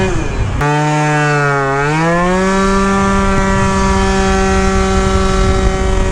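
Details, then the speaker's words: Yamaha Jog scooter with Stage6 70cc kit and taller gears, clutch overheated: two-stroke drone dips at takeoff then climbs slowly, boggy pull off the line; owner suspects bottom-end lean bog, plans clutch spring change. "I think we're going to have a really really good takeoff right now it's a little boggy"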